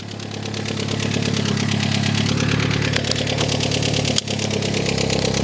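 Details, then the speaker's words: R56 Mini Cooper S, first crank after purchase, rocker cover bolts loose, loud exhaust, seems to misfire; loud uneven idle with light rapid ticking and rough stumbling beat, loose bolts may contribute: tappy idle. "I mean, the engine sound a little bit tappy. Like I said, it probably doesn't help because all the rocker cover bolts are loose."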